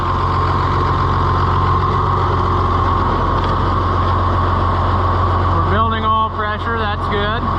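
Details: Oliver FWA tractor (one of a 1955/2255 pair) after servicing with new filter socks: a steady, even diesel idle with no knocks or misses and a brief squeak near the end; the engine sounds healthy.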